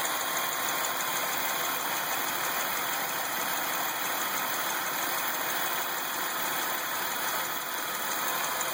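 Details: 2003 Lumina with the Ecotec 3800 3.8 V6 at steady idle: a light, fast ticking under a hissy top end. Other noises, possibly from the alternator, are also heard; the ticking source is unclear.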